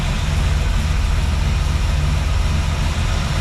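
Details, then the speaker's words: A '55 Chevy with a new engine, timed the day before, with the choke disabled and locked out, running warm. It has a deep, even idle rumble with a steady beat and no knocks or misses, smoother than before: a normal idle. "Oh man, this sounds like a normal car. Very cool. Listen to that idle."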